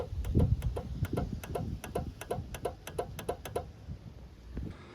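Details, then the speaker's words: 2000 Toyota Avalon non-working horn; crisp horn relay clicks about four a second while horn pressed, no horn note, so relay is good; the rusty horn was faulty and both horns were replaced. "so when you hear the relay clicking that means the relay is good"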